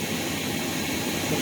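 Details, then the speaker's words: Rainbow R-2800C vacuum power nozzle motor run on the bench before refurbishment: a harsh, rushing hum with a gritty edge and a terrible smell. Needs lubrication and possibly a new motor bearing. "this definitely is going to need some lubrication and or possibly one bearing so let's keep going"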